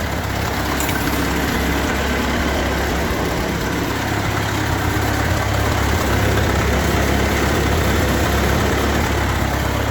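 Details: Ford 8N tractor idling after installing a spin-on oil filter adapter; oil pressure up, one fitting snugged tight; steady, even low chug with no knocks or misses, running smoothly and healthy.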